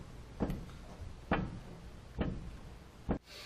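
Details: Ford truck with coilover front suspension, wheel unloaded and pried up from the tire: four dull clunks roughly a second apart. Worn lower ball joint with play, which the 6 and 12 o'clock rocking check does not always reveal.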